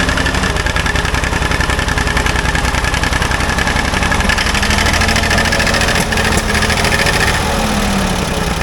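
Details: Old Ford loader backhoe, long unused, rough idle with irregular pops and sharp exhaust cracks; mechanic suspects it isn't getting full gas flow, as a fuel line connection leaks gas badly; cause not confirmed.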